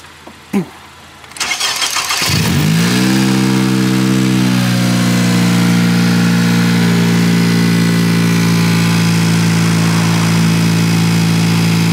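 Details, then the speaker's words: 10th-gen Honda Civic Si started right after an engine oil and manual transmission fluid change: starter turns briefly, engine catches with a short rev, then settles into an even steady idle without knocks or rattles; normal start and idle. "So I'm gonna start it up and everything should be working good."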